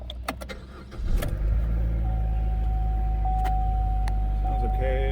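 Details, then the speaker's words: Turbo 1.4 car brought in for overheating, coolant slightly low and no milky buildup under the oil cap; brief crank, then it catches and settles into a steady, even idle with no misses or knocks; check engine light on, no smoke from the exhaust. "All right, I don't see any smoke out the back, which that's a good sign."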